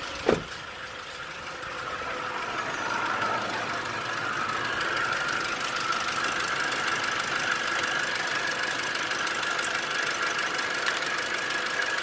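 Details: 2012 Toyota Hilux 2.5L (2,494 cc) diesel, manual 4x4 double cab: cranks, catches quickly and settles into a steady, even idle clatter with no stumbling. Normal start and idle, filmed while showing a no-start cause.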